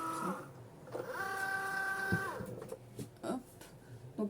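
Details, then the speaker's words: Cricut Joy cutter with a non-matching mat; quiet short motor whirs with steady tone and light scraping as carriage moves, noise normal because the mat isn't adapted, normal cutting noise. "vous arrivez il fait un peu de bruit c'est normal parce qu'en fait c'est le truc c'est pas adapté"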